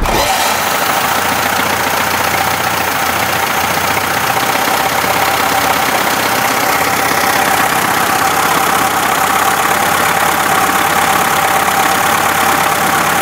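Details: Engine running with 7 bearing balls dropped into a cylinder; loud harsh irregular metallic clatter over rough running; loose steel balls hammering the piston crown.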